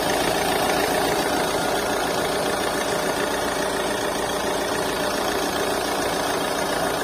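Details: Mahindra XUV300 diesel at idle: loud, uneven chuffing clatter about three or four beats a second, back compression (blow-by) pushing out.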